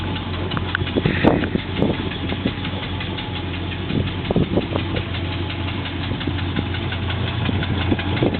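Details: Triumph Stag V8, cold engine at idle: a steady, sharp knock rides on every firing cycle and is audible everywhere around the engine; cause not yet pinned down.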